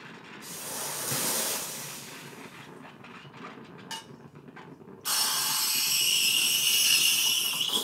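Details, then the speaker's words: Gaggia Classic Evo Pro espresso machine, boiler coming up to steam temperature: strong, steady high-pitched hiss from the steam wand comes on suddenly and holds evenly while frothing milk; normal steam wand output. "you can hear the boiler calming up to temperature so it's going to start creating a lot of powerful steam out of this steam one which it certainly does"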